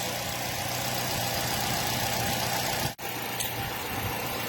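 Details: Nissan Y12 with misfire persisting after new genuine spark plugs: petrol engine idles with an uneven, stumbling beat, one cylinder misfiring because its ignition coil gets no signal; wiggling the harness suggested a wiring short.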